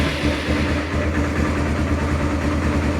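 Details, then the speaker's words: Arctic Cat 400 4x4 quad, right after fitting a new carburetor, would not start or run well before: starts right up to a steady low single-cylinder putter, idle hunting slightly up and down and needing adjustment. Normal idle. "Starts right up. I might have to change the idle a little bit on it, but you know, it's up and running. It's idling up right now."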